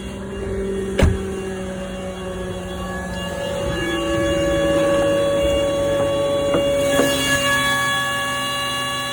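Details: 2005 Volkswagen Touareg 3.2 V6 making this sound every morning at cold start since an oil change: a click, the engine starts, then a high, steady multi-tone whine over the idle.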